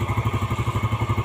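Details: Yamaha Jupiter Z after engine rebuild with original piston and new valve shaft, idling during the oil-pump check: steady low thumping idle, about nine even beats a second, with no knocks or rattles; healthy idle.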